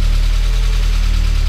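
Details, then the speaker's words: Spec Miata engine running with ignition timing at a random setting and found completely off the scale with a timing light: rough idle with fast, uneven low knock under a heavy drone, more than lifter tick. "Doesn't sound right. That's not good. That's more than lifter tick. Something's not quite right."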